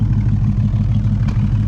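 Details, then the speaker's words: 1971 Ford Maverick 302 V8 with newly installed Edelbrock Pro Flo 4 EFI, distributor at about negative 12 degrees and not yet fine-tuned; low, fairly steady idle with occasional sharp exhaust pop and random sputters: exhaust popping at idle. "So that's, I'm sure you can hear that popping. There are a little bit random sputters, so I'm gonna have to fine tune it."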